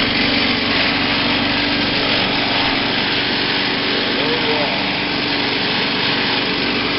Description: The mower's engine then raced and rattled, the sign of a bent crankshaft.